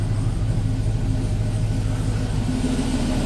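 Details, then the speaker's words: 2007 Chevy Avalanche V8 after DOD/AFM delete, Texas Speed performance cam, rebuilt heads and headers, idling on a chilly evening after first start; steady, even low rumble with no ticks, knocks or misses, sounds happy; normal idle. "yeah she sounds happy i guess in a few minutes i'll uh remove the old sob there i'll take her for a ride"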